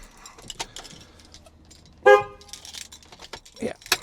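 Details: MINI R53 horns, after diagnosing no-horn fault and refitting low and high pitch horns: one short, clear, strong steady horn blast; horns now work.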